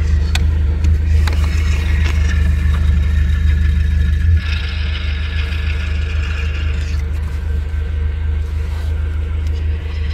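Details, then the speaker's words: Nissan Platina at idle: steady hum, then pressing clutch pedal brings a raspy whirring whine; failing clutch release bearing (collarín), could seize; full clutch kit replacement advised. "Y bueno, si ya comienzan a tener este sonido, lo mejor será cambiar el kit de clutch completo y no solamente el collarín, para que tengamos un mejor funcionamiento."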